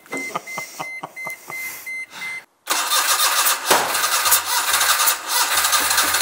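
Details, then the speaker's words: Daihatsu engine in a Midget project car, cranking with rhythmic beeps then catching and running rough and uneven; engine had flooded, crank sensor being tested. "it's flooded and done some weird stuff but we reckon we've got it nailed now"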